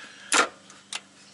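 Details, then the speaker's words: Ford BA Falcon automatic, hard to get in and out of park, upper shifter linkage found detached: two sharp metallic clunks as the selector is worked. Owner suspects the gearbox, probably a parking pawl failure. Clunk from gear selector. "honestly feels like it's in the gearbox sounds clunky in the Box too just listen to that sound"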